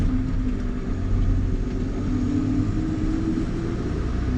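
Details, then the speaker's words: JCB Fastrac 3170 5.9 Cummins idling after sealing the cracked exhaust manifold and letting it cure: steady, even low diesel idle with no chuffing, much better than before; temporary fix, normal idle. "so it's good news i i cannot hear a chuck so that's a lot better than it was"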